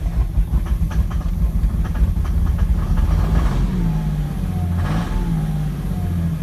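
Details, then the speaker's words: 2006 Cummins diesel, symptoms started suddenly, not a lope tune: low idle with an uneven, loping, stumbling beat, maybe a cylinder dropping out; owner suspects a bad injector, not confirmed. "So I think I have a bad injector."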